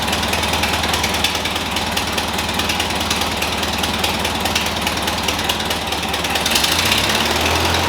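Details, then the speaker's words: Ford 2N tractor petrol engine with new aftermarket carburetor, first run on its own in years, steady even idle with no knocks or misses; runs normally, coolant not yet added. "all right guys finally this thing is running it's operating perfectly fine"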